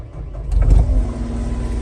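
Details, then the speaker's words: 2019 Cat 259D skid steer with 2011 hours, one owner and well maintained: starter cranks, diesel catches within a second and settles straight into a steady, even idle; starts right up with no issues. "As you can see, it starts right up, no issues."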